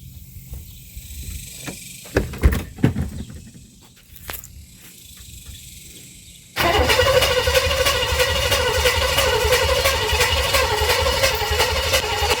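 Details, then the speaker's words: 1958 Chevrolet Bel Air 4-door hardtop, engine rebuilt at a vo-tech but never finished, first start attempt with 2-stroke gas in the carburetor: a few clunks, then six seconds of steady, even cranking that never catches. Cranks but no fire. "I'm gonna say no fire. Let's see. Nope."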